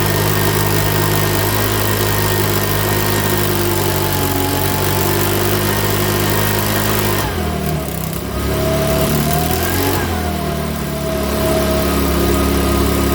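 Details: Makita BHX2500 four-stroke leaf blower, after valve clearance and timing check, NGK plug checked, airbox off: buzzes along unevenly with two stumbles where speed dips and recovers; rough running, owner reckons it needs a new carburettor.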